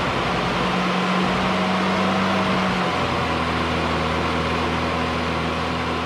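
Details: 1990 Mini ERA Turbo (262,000 miles) idling after a new carb was fitted, 20W-50 oil topped up and the oil pump re-primed: steady even hum, no tapping or rattle from the top end; oil pressure and running sound normal.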